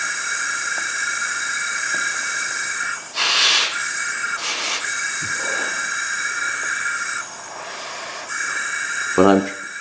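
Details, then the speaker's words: 1984 Craftsman lawn tractor Briggs & Stratton engine that stopped running after 40 years, during a leakdown test with no compression: bursts of hissing air as pressure is applied. Air escapes out the exhaust because the exhaust valve isn't sealing. "the intake is not doing it this time that's coming out the exhaust and I've got like 2 PS out"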